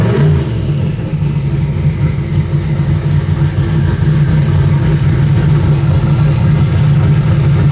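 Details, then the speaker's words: V8 warm at about 170 degrees, timing locked at 36 degrees, timing box pulling six degrees on start: deep burble holds an even lumpy beat with no popping or stumbling; running properly. "oh that makes me happy right there oh it's working perfect now oh man that's great timing's locked at 36 degrees trimmer's locked down everything's marked everything's working as it should"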